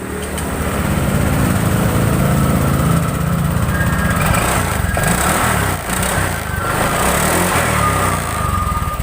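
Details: Honda Vario 125 brought in dead with no fuel pump hum, started after the fuel pump wiring fault was fixed; steady, even putter with no misses or hesitation; normal running.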